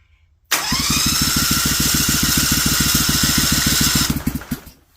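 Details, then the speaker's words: Briggs & Stratton Vanguard 16HP with rusted cylinders, being revived, fuel pump primed and choke pulled: steady fast starter churn, about 3.5 beats a second, never catches; owner suspects no spark and sees no fuel being drawn. "Almost sounds like it's got no fire to it, and I'm not seeing it pulling any gas down here."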